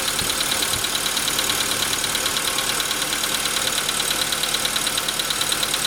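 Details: VW Jetta V engine at idle, with a sharp, evenly spaced ticking knock steady over a smooth idle, clearly heard from 15 seconds in; piston knock, later confirmed by the dealer, and pistons replaced under warranty.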